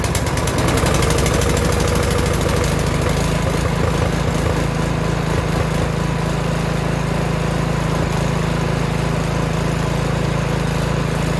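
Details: Snow blower pull-started after opening the choke and pressing the primer three or four times: catches and settles into a steady, even rumble with no misses or knocks; healthy running.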